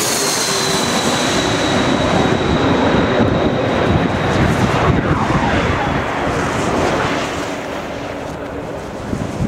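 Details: Airliner on approach at Itami Airport: steady high whine over a loud rushing airflow roar easing off near the end, unfamiliar whoosh around 29 seconds; normal approach airflow noise.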